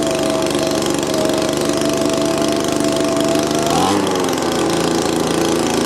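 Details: Old Echo leaf blower after a fresh install: small two-stroke holds a high buzz that wavers and stumbles briefly; runs better but still rough and idles fast, owner suspects the little plunger adjustment.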